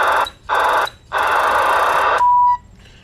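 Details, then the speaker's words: Squire 125 CB linear amplifier on AM, high setting, passing only about 1.5 watts; harsh hissing bursts switching on and off about twice a second, then a clean steady tone; amplifier chatter, likely oscillating. "and I have to turn it off. It causes a chattering like it's oscillating."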